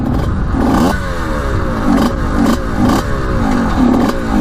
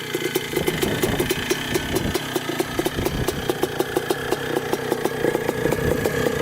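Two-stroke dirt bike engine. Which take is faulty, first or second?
first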